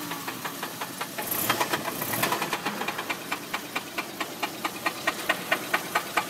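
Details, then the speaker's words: Isuzu Trooper that broke down: sharp, evenly spaced knocks about twice a second over a rough idle; rod knock from a spun rod bearing. "mother says it's knocking pretty hard so i'm sure she's right oh yeah it's a rod knock"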